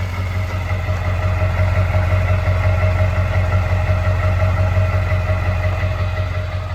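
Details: Warm 2000 Ford Excursion Limited 7.3L Powerstroke diesel 2WD, 192k original miles, stock with no tuner, freshly serviced: it clatters at a smooth, even idle with a steady low rumble, no misses or knocks. A healthy engine.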